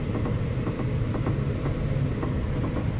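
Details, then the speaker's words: 2007 Honda City (Fit Aria) front suspension, steering slightly turned right and left. Irregular light clunks over a low rumble from worn stabilizer Z-links; the noise goes away when a link is disconnected. "so that sound is actually of these Z-links and these Z-links when moved make strange noise so now we will replace these Z-links"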